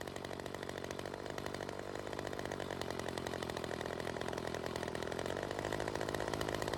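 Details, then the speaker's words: Ryobi CS 30 two-stroke trimmer test run after teardown, new adjuster fitted: harsh buzzy note, fast slightly uneven, raspy; still running lean from an air leak, owner suspects the homemade intake gasket. "still has that air leak and I am probably going to guess it has something to do with that little homemade gasket"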